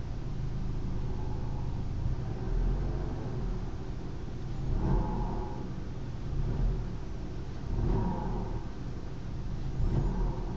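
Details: BMW E90 320i: engine rumble with slow swells on blips, hollow mid-pitched drone around 1,000 rpm, present with A/C off and vanishing with A/C on; cause unknown.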